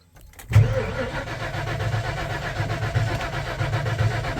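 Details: Tow truck after sensor replacement including MAP sensor: fuel pump keeps running past its couple-second prime and after key-off; starter cranks steadily with an even chug for several seconds but never catches; crank-no-start traced to bad PCM.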